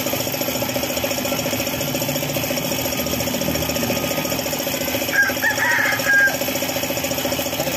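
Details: Suzuki F6A engine at idle: light steady tapping knock about twice a second over a thin idle; oil pump has stopped working, starving the bottom end and causing the knock.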